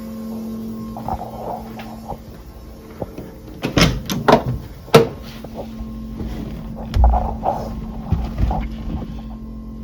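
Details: Porsche 914 stock fuel-injection fuel pump relocated under the car in soundproofing wrap, battery-powered test: a steady low hum near 200 Hz with handling thumps, normal operation and not too loud.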